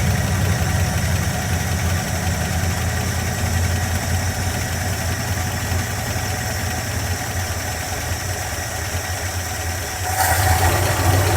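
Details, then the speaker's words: Tired 1976 Dodge Club Cab Adventurer 318 V8 with low oil pressure and a leaking, shot carburetor; rough idle with loud busy ticking valve-train clatter over the low rumble. "This carburetor's shot. You'll hear the valve train really bad."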